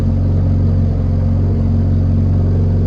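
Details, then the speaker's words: Nissan 180SX running again after an alternator refresh, charging about 14.2 volts with good oil pressure, revs picking up slightly: smooth, even engine note with steady low hum, no knocks, misses or squeals; running normally. "the car started, and the revs started to pick up a wee bit. Everything's checked now."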